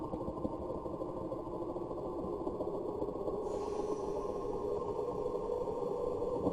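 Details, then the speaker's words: Spindle spinning up: rough uneven flutter with rattle builds instead of a smooth hum, as the out-of-spec spade and pod insert fit (flats and radius) lets the spindle flop around at speed. "and here you can see the flopping and we can actually play this wave where you'll be able to hear when this thing comes up to speed it really starts flopping around"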